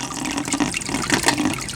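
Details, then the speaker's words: Tetra Whisper IQ 20 hang-on-back aquarium filter with lid off: steady watery gurgle with faint buzzing rattle; loud vibration from the impeller bouncing around its shaft because the rubber tip is missing. "there's a loud vibration noise which is the impeller moving around because we don't have the rubber tip"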